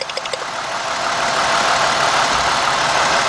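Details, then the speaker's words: 2000 Mercury Cougar with a misfire, idling while plug wires are pulled: harsh, loud idle with an uneven stumble about three times a second, worse as a good cylinder is cut; pulling one wire brings no change, and a spark is heard arcing. "See the misfire. Take it off. No change whatsoever."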